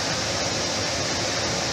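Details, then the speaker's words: Jet air filtration system after replacing the failed control circuit board that left the motor humming without starting: steady, even whoosh and smooth constant fan note, no knocks or rattles; working again. "Okay, guys, I got it working. I got it working, and I'm happy about that."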